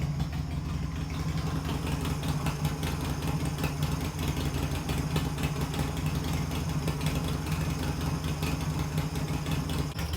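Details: Harley Sportster build just after first start, on choke with idle throttle adjusted: steady low V-twin lope, even and unbroken, no knocks or misses; healthy idle.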